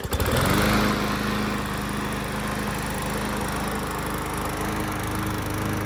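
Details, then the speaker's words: Yard Machines walk-behind mower (trade-in) after a new blade was fitted to cure vibration: it starts and settles into a steady, even drone with no surging or knocking; it runs much better, normal running. "All right, just replace the blade. See how it runs now. Much better."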